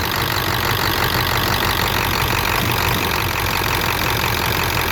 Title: 96 f250 7.3 rough idle on decel